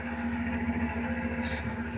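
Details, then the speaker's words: Loud case fan noise at switch-on after fitting an extra cabinet fan to a PC with Gigabyte GA-B75M-D3V motherboard and Pentium 3rd-gen processor, side panel closed; constant low hum and steady whirring drone, no speed change; owner hopes noise will settle. "That's a pretty noisy fan. the noise will settle down maybe."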